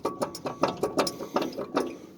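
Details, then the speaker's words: Truck lifted after a 97-mile tow behind a Holmes 440, driver-side wheel bearing checked: sharp metallic clacks about four a second as the hub is rocked by hand; some movement, still tight, bearing about to go. "e wheel bearing went out to be listen to this side it's got a little bit of movement still tight but the bearing is about going out"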